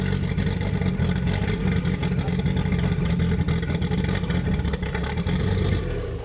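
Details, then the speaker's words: Chevrolet Opala SS turbo inline-six brought back to life after sitting, its camshaft having worn out from frequent demo runs: a deep, even rumble held at raised revs, then easing off, with no knocking; healthy. "Let's turn on this Opala For the Americans to experience the power of the inline 6 Came back to life again"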